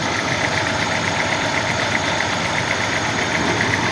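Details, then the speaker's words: Toyota Corolla idling and warming up, fuel pressure 40 psi against a 44 psi spec, oil pressure 50 psi and dropping as it warms: light, regular ticking about four times a second over a steady idle; noise and fault under diagnosis. "y el carro tiene ese ruido y tiene la falla."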